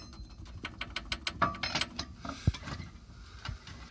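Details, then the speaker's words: Mazda 3, car jacked up, heard from underneath at the rear driver's side: light metallic clinks as a snapped-off piece at the bottom of the rear spring rattles in its seat; also rattles over speed bumps and uneven ground; broken coil spring. "So you can see that little hole there, and that is the piece of the bottom of the spring, which should be taut if it's still part of that, but it's not. You can see, hear it rattling?"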